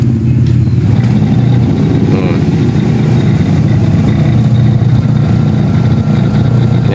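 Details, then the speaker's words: Standard-brand 6 kg washing machine, noisy even empty; belt removed, the motor spins freely with a smooth, even low hum, no knocking or grinding, so the motor is fine; the leaking gearbox is the fault and gets replaced. "ayos po ang ganda pikot ng motor niya"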